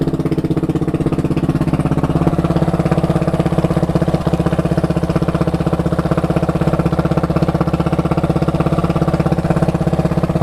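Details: KTM 690 SM LC4 single at warm idle with a light regular tick on every beat, about four a second, heard only when warm. The owner suspects the cam chain tensioner; now on Motorex oil, previously Amsoil 10W-40.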